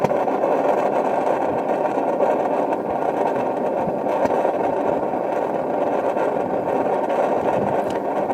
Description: The burner was recently replaced on our Norcold model 1210 RV refrigerator and now there is a popping noise. The burner is louder than one in our previous motorhome but the fridge is larger.